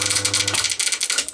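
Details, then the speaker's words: Single-phase Crompton Parkinson induction motor spinning down: fast light clattering ticks over motor hum, slowing with speed; cooling fan loose on rotor shaft, fins move freely without the outside moving. "you look into there you should be able to see the fins of the fan which you can see freely moves without the outside moving"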